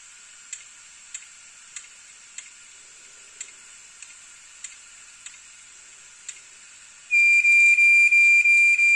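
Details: Hard disk drive ticking inside: sharp, evenly spaced ticks roughly every 0.6 seconds with no other running noise; failing HDD clicking, data still recoverable.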